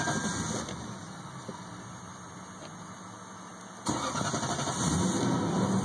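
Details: 1998 Lexus LS400 that died on the highway, bogging down, and four days later cranks evenly at about four beats a second but never catches; battery terminals cleaned, fuses and relay checked fine; cause not yet found.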